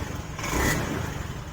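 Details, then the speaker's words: 2016 Honda Beat FI scooter, weak battery, warmed up about 5 minutes via kick start: electric starter catches, revs briefly and runs smoothly; starts fine on the button. "Nah, ini contohnya bro, kita udah panasin 5 menit, starternya udah oke nih bro."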